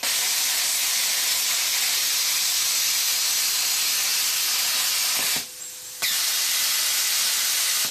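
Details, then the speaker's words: New plasma cutter set at 55 A, after earlier sputtering traced to low supply voltage: steady, even cutting hiss about five seconds, a short break, then it resumes smoothly with no sputtering. Normal cut. "no problem whatsoever"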